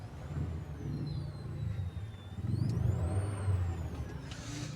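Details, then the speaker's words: Car stereo picks up a thin high whine that rises and falls with engine speed over the idle rumble once the engine starts; silent with engine off; alternator/engine noise entering the audio signal path. "तो इनको जो problem आ रही है वह गाड़ी start से noise की problem आ रही है ये अगर आप सुने तो शायद आपको सुनाई दे रही हो"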